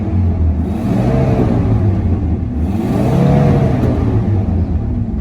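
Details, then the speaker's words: Dodge Ram with 8.0L V10 and 4-speed automatic: deep rumble rising and falling through two throttle blips with faint irregular pops; owner suspects holes in exhaust, not confirmed, exhaust work pending. "But as you can see, she sounds good, and you can hear that little bit of a popping in the exhaust because I think it's got a hole in some spots."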